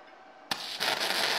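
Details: Firepower FP-200 flux core welder, second test weld on eighth-inch plate at low end of recommended settings: after a short strike the arc settles into even, crisp crackle without popping; steady weld, bead judged slightly hot.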